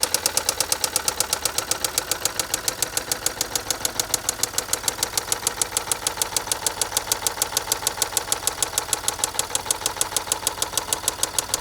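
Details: 2011 Range Rover Sport diesel after turbo replacement, fault code P1247: idling with a sharp steady knock about three times a second over a bright clattery run.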